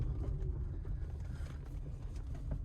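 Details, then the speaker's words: 2016 Toyota RAV4 Hybrid XLE driving rough road after replacing front stabilizer bar bushings (axle and sway bar links replaced earlier didn't fix it): steady low road rumble, no clunks over bumps; suspension clunk gone. "I don't think I hear the clunk anymore wait let's no clunk no clunk wow"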